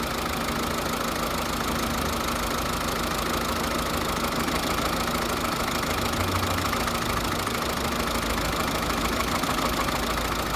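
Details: 2009 Volvo S40 1.6 diesel at idle with an uneven, loose knocking near 200 per minute and a rough beat, suggesting a misfire and abnormal engine noise; cause never found.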